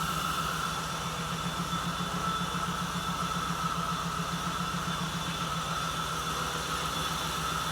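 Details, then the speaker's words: 1979 Jeep CJ-5 started for first time after 29 years sitting: steady, regular low pulsing idle with no ticking, stumbles or knocks; vacuum leak noted; idling evenly. "Oh, yeah. Yes. No ticking. I don't even hear any ticking."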